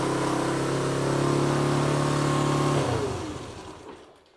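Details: Honda CT110 postie bike after carburetor rebuild with a kit, first start: single revs up cleanly with an even steady note and winds down smoothly; carburetor working normally.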